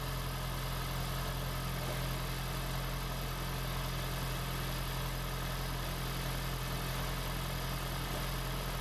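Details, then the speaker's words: 2016 (4th-gen) Prius engine just swapped into a 2012 Prius V, first run in maintenance mode, car on jack stands, coolant air still to bleed; low steady hum, even beat, no knocks or misses, settling to smooth idle. "here's my new engine running in my gravy five it's all done it's all hooked up it's running in maintenance mode"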